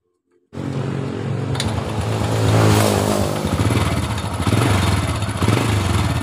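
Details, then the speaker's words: 2007 Honda Supra Fit New, rough noise around the cylinder head: engine starts to idle with fast dry metallic clatter from the top end; cam chain found very slack; loose timing chain rattle. "Bunyi kletek-kletek. Ya, biasanya rantai ketengnya yang bunyi."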